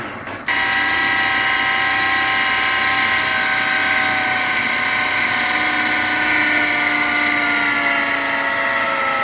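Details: Volvo with a new Chinese power steering pump: a high, steady whine that rises in pitch with revs and becomes noisy above 2000 rpm. Power steering pump whine.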